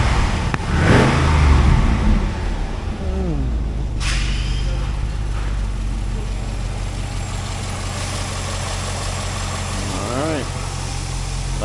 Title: 2005 Pontiac GTO 6.0L LS2 Part Out: J&J Auto Wrecking Test Video #S5PN252